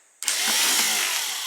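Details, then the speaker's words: Rebuilt Austin Healey starter motor bench test: a sharp whirring spin starts abruptly, then winds down smoothly with no grinding, and the Bendix drive flies back with an audible click; starter drive engages and returns normally. "Watch that Bendix. Well, that Bendix flies back nice. You can actually hear it click."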